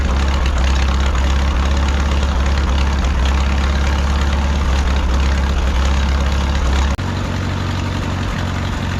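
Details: 1951 Farmall M tractor with new spark plug wires, which had sputtered on acceleration and had pitted points. Low, heavy idle with an occasional uneven thump and a drop in note partway through. Intermittent engine knock, cause unknown.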